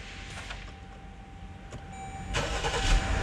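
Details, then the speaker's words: Jeep Grand Cherokee with new battery and new starter, push-button start, cold morning: near silence then engine suddenly cranks, catches and settles to idle; intermittent no-crank seemingly only after cold night soak, battery ruled out, cause unconfirmed (P058D). "holy crap there you go again okay i needed to keep doing that i need the problem to be here"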